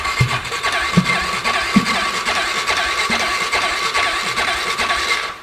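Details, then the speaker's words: 2008 Polaris Ranger 500 UTV, with fuel possibly bad and a suspected bad fuel pump: the starter cranks strongly on its own, a steady whir with rhythmic compression pulses about once a second. "Let's turn over on our own now. That's a plus."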